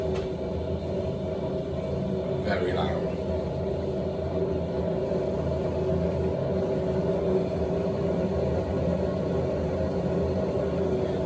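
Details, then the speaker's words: Noisy ball valve in the cistern, heard while the cistern refills: a loud, constant rumble with a steady droning hum, due for replacement. "I should be picking it up on camera, but that is a loud ball"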